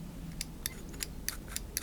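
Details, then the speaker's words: Peugeot 205 GTI throttle body being restored, throttle switch housing refitted on the bench; sharp light clicks about three per second in a quiet room, switch contacts snap in cleanly, electrical test still to come. "Ça veut dire que le contact il colle bien."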